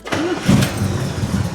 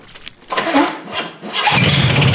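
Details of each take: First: 1975 Corvette with new starter that had kept contacting the flywheel, after adding two 1/16-inch shims under each bolt between starter and block: clean quick crank catching straight into a steady run, no grinding or sticking; normal starter engagement. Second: 1975 Corvette with newly installed starter: cranking then engine catches with harsh metallic grinding over the rumble as starter drive stays meshed with flywheel; fixed with two 1/16-inch shims under each starter bolt.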